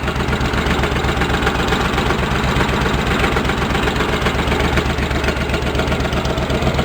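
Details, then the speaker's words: Engine of a Cub Cadet 1650 being built into a 4-wheel drive, idling about 15-20 minutes: owner unsure if it is engine knocking, faint irregular tapping about four times a second over the engine beat; source unclear. "know if that's the engine knocking or what something on sound right"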